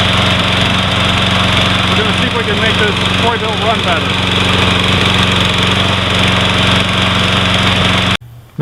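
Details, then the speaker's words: Troy Bilt 21" 675 Series Briggs & Stratton mower, hard starting, overfilled with oil, first start after months sitting, before carburetor cleaning: engine runs rough with a miss, beat stumbling and surging as if starving for fuel; engine misfire. "Just seemed to have a miss in it and just run really rough."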